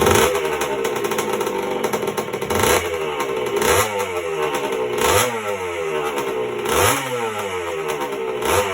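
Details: 1977 Honda CR125M Elsinore two-stroke just after a top-end rebuild (piston circlip had come off), not yet heat-cycled: a crisp buzz with clean blips rising and falling about every second, no rattles or misfires. Normal running.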